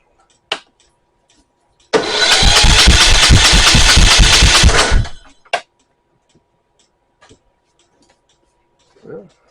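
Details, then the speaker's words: 2013 Troy-Bilt Horse XP hydrostatic riding mower cranks about three seconds at a brisk even chug but never starts; bent pushrod, suspected loose valve guide or valve sticking in its guide. "so I think what's wrong with this is either a valve guide has come loose and moved in the head foreign or or a valve is sticking in the valve guide causing the bent push rod syndrome"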